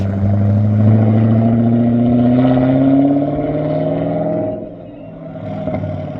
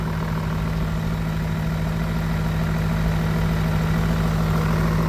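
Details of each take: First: 262,000-mile BMW E39 M5 V8 after sitting about 10 years, resonator deleted: revs climb then drop, exhaust turns coarse and raspy on deceleration; sounds great on acceleration but raspy on decel, aftermarket mufflers or X-pipe planned. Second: BMW E39 M5 V8, 262,000 miles, sat about 10 years: deep, steady, even idle with low hum and no ticking or knocking; engine very quiet for mileage, normal idle.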